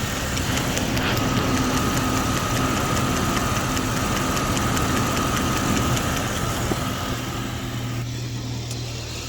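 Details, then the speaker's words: Jeep Cherokee engine just starting to warm up after refilling coolant: faint quick tick about three to four per second over an even idle; owner suspects a sticking rocker, plans adding transmission fluid at oil change. "Now what I'm going to do there, it's probably just a rocker or something that's just sticking a little bit."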